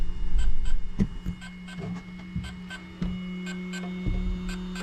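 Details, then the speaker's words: Hobbywing XRotor X6 Plus DroneCAN motor on a hexacopter bench prototype, freshly plugged into the Kore carrier board with its CAN interface not yet configured: a steady low electric tone with sharp ticks repeating a few times a second, meaning it has no flight controller link. "And you can hear it making that sound, meaning that it's not talking to anything."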